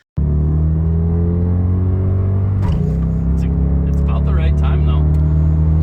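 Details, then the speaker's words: 1991 Lexus LS400 automatic (A340) after Transgo shift kit and new shift solenoids: engine drone pulls hard then drops pitch in one quick clean step; crisp firm upshift, much harder than before, no slipping. "So you can see in those first 2 videos, it shifted so much harder. I don't have any before videos because I don't know why I didn't take any."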